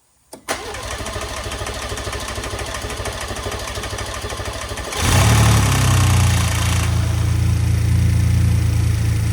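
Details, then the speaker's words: Ford Gen 2 Raptor V6 first start after cam phaser and timing component replacement: cranks, catches and idles roughly with steady fast ticking about four per second, phaser rattle at start; misfire codes followed. "This sounded rough. The phaser seemed to rattle at start and the engine was ticking for a little while."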